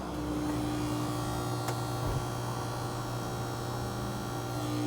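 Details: Panasonic washing machine: steady low electrical buzz with a constant hum, sounding like a short, from the drain pump jammed by a foreign object.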